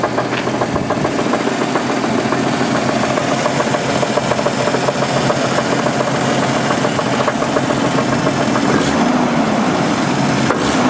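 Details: 1988 Jeep 4.0 Renix at idle, with good oil pressure. A rough idle with an uneven tapping knock of about three or four per second. Owner says it's not rod knock, suspects piston slap, and plans to check the flex plate and its bolts; cause unconfirmed.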